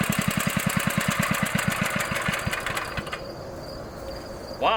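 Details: 1960s Bolens 28-inch Lawn Keeper mower, carburetor never adjusted, untouched at least 15 years, mowing with deck set low: steady, quick even firing pulses with no misses or knocks under load; runs good, normal running.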